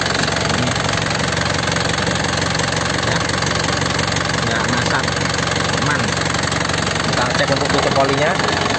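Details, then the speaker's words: 2010 Isuzu Panther LS Turbo diesel, warm after recent driving: even idle with a steady, light clatter at a regular beat and no odd knocks, misses or ticking; normal, healthy Panther diesel idle. "dari suaranya udah kelihatan ya masih renyah dan suaranya belut tidak ngeflek tidak ada bunyi yang aneh-aneh bunyi bubuk bunyi tek tek tek Itu nggak ada airnya khas Panther ya suaranya seperti ini"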